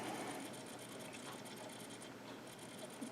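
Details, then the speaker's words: 20-year-old CD-RW drive in a vintage system, disassembled and cleaned: faint quick ticks and whirring repeat without settling, hunting and failing to read the disc; cause not confirmed. "it's going crazy it's like no this isn't happening don't do this to me yeah it's not happening"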